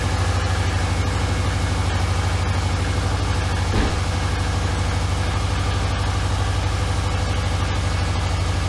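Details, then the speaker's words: Subaru Forester with rebuilt EJ251 just reinstalled, first cold start: steady idle with a deep, throaty rumble louder than normal and faint chuffing, quieting as it warms; exhaust leak at the front pipe. "well the front pipe is definitely leaking sounds rumbly though yeah makes about the same amount of noise as it did"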